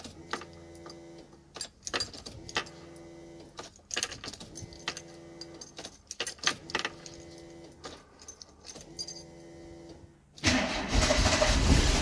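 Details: 1990 VW Golf MK2 GTI, cold start during fuel pump repair: several stretches of rhythmic cranking without firing, then it catches at about ten seconds into a loud roar. Hard starting from cold.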